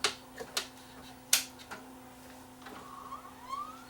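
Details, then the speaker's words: Sanyo VHR-H600 VHS VCR that won't load tapes; steady motor hum with drum spinning up, scattered clicks and a brief whir as the front loader tries and stalls; suspected timing or mode switch problem, not confirmed. "here the motors you hear the drum spinning up and I can see the front loader trying to move but the front loader is is back aways"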